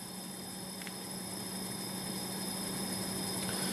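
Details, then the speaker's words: Pellet/biomass boiler that shuts down on a false low water pressure alarm, during startup ignition sequence before adding pellets: quiet steady fan hum with faint even whir, no knocks or scraping; normal startup fan. "Encendido. Está preparando la secuencia de encendido. Ahora lo que va a hacer es añadir pellet, comprobar que todo esté bien en el sistema"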